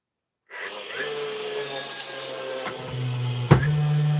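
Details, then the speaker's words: DeWalt nailer, unloaded: motor whirs and winds up to a steady hum but no firing clack follows; ramps up without driving nails, cause not yet inspected. "This is ramping up. This is going no nails in her at the minute."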